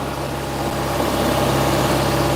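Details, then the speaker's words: Toyota MR2, 40 years old, warming after a cold start: steady low hum with even firing, speed easing slightly downward; idling a bit high but settling down. "She'll settle down in a minute. Here she goes. Because at the moment she's running a little bit, well, she's idling a bit high."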